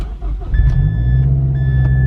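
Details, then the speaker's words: Mazdaspeed6 after a front mount intercooler install, following a boost leak, with map 3 selected: engine starts and settles into a steady, even low idle with no misses, knocks or boost hiss. Normal idle after start. "everything's normal everything's good let's go"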